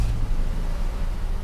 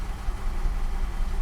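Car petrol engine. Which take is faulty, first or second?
second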